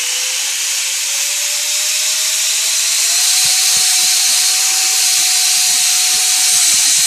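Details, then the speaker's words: ChangeSun 50mm EDF with Mantis 45A ESC bench-tested before fitting in a mini Raptor, throttle raised slowly: very loud rushing hiss, smooth tone rising steadily, no rattles or cutouts; fan good to go. "That's the Chain Sun EDF sound. That means the Chain Sun EDF is good to go. It is ready to go."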